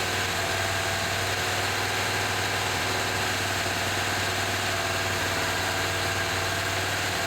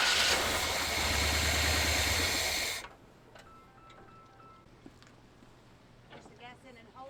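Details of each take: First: 1978 Chevy C10 V8 after adding 4–5 gallons of fresh gas: steady, even idle with a constant low hum and no knocks; runs well, though smoke is thought to be burning-off residue, a transmission leak is suspected and the oil pressure gauge didn't move. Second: 1978 Chevy C10 after 4–5 gallons of fresh gas were added. The starter churns for nearly three seconds but the engine never fires. Crank no-start.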